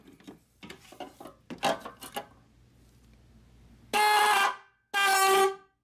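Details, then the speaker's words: 2010 Chrysler Town & Country after replacing the inoperative horn (wiring was good), activated with a scan tool: two loud, steady horn blasts with a clean, even tone; normal horn operation. "Good. That's a loud horn. All right, so this is fixed, guys."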